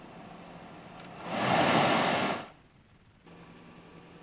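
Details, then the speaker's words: Jeep Patriot after HVAC blend door actuator replacement, engine started and vent positions changed: a rush of air swells then fades with no clicking behind the dash, so the blend door now works normally. "just start and see if we still have that kind of noise I really don't think we do"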